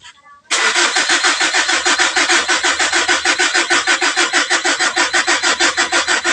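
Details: 2012 Mitsubishi Strada diesel with a hard-start problem and no check engine light; wrong parts were bought, so it is a DIY repair. Slow, uneven cranking at about three beats a second for six seconds without catching, with a weakening battery.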